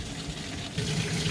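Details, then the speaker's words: DIY bakki shower pond filter of three 51-litre boxes, media only in bottom tray: loud constant splashing and hiss of water through open trays; runs noisy with no media inside. "she's running a bit noisy at the moment because there's no media in there"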